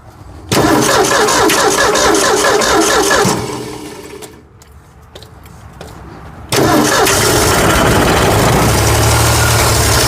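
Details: 1965 Ford F100 240 six after carburetor replacement and oil change: cranks and catches, runs rough about three seconds, dies, fires again; owner suspects idle set too low; stalling after start.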